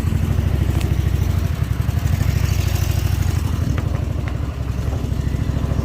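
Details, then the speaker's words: Snapper Pro 48-inch zero-turn mower at idle, before Seafoam treatment: low chug with uneven, stumbling pulses and a loose clatter on top; rough idle, owner suspects the carburetor is gummed up. "i know why they are down because of the the uh the carburetors i think you're getting box stocked up a little bit because you can hear it now"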